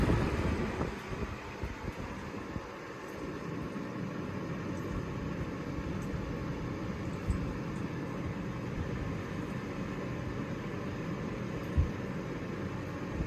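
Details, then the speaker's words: Lasko box fan (3723/3720 comparison) on medium speed: soft steady low whoosh, even airflow hum with no rattles or ticking; running quietly and normally. "That was pretty quiet too. Sounds just like Lamont's."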